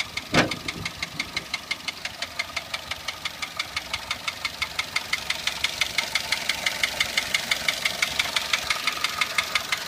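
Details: Toyota 1SZ-FE contract engine from Japan, 32,000 km, knocking began 1,200 km after installation (bearings, valve clearances fine, no debris in pan): sharp regular metallic knock about three per second at idle; seized piston pin, skirt slapping bore.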